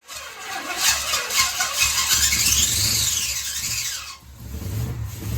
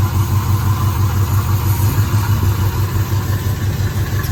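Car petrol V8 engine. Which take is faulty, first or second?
first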